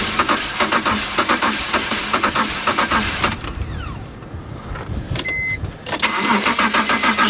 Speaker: oh wow that hose is hard as a rock all the compression is in the cooling system